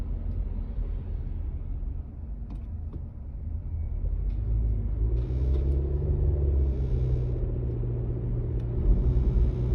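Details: 2019 Honda Civic EX: a low, steady buzz hums over the car's rumble for several seconds; Honda dealerships could not find its source.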